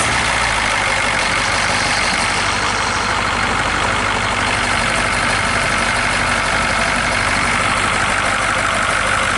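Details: 1966 GMC military troop-transport bus, rescued after sitting in bushes; loud, steady idle with even rhythm, no hunting or misfire beat; engine sounds good, air pressure building just below 30 psi.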